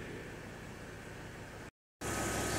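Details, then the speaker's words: Mercedes GL X164 Airmatic after repair: a steady hiss and hum from the compressor with no knocking or labouring as the car reaches the right height, the first raise taking slightly longer. Normal air suspension compressor operation. "rising all around and settling all around compressor has stopped cars at the right height everything is pretty good"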